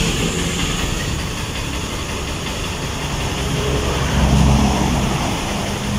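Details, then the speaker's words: TMX Supremo 150 with hard starting from water in the gasoline, after a carburetor cleaning; it used to die on throttle even when warm. A cold-engine start gives a smooth, even single-cylinder idle and a brief clean rev with no misses, running healthy. "napakaganda na ng tono ng motor katulad nung unang dala dito talagang namamatay agag mo yung silinyador kahit mainit yung makina Pero ito malamig na yung makina pero pagkabuhay Ayan goods na"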